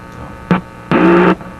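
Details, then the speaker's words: Simplex antique vacuum tube radio on restricted power (probably around 90 V), front end not receiving: quiet background, then a short hum burst and a longer loud buzzing hum as a finger touches the front tube input; later stages amplify. "so well you know that just gives you an idea right there just using my finger and if you jam a good signal into the front into this tube you can hear it"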